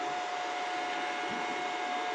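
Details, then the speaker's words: MPPT solar inverter/UPS at home with battery attached, morning: constant rushing airflow with steady mid-pitched hum; inverter cooling fan runs nonstop, to be reduced via fan auto-mode settings or fan replacement. "पहले मैं आपको बता दूं कि बाज़ इन्वर्टर्स ऐसे होते हैं जो कि कंटिन्यूसली फैंस को रन करते हैं।"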